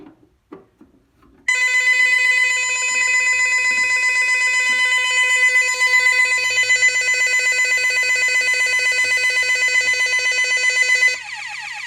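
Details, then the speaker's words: Bentley Symphony 2 burglar alarm demo board, bell box tamper test: loud high warbling siren pulsing about four times a second from the panel speaker only, bell box silent, which depends on the SAB module fitted; bell box tamper alarm. "We'll do a bell box tamper. For some reason, only the panel speaker goes off and the bell box doesn't, which it actually depends on what SAB module you have."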